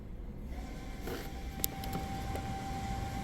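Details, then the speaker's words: Volvo S60 rear electric parking brake caliper, scanner commanding service mode to release the brake pad: faint steady electric whine for about three seconds as the motor retracts the parking brake mechanism before pad and rotor replacement; normal operation. "okay what happened was that retracted the piston and everything else inside the uh C caliper or it may not have retracted the Piston depends on the style but it'll retract the parking brake portion of it"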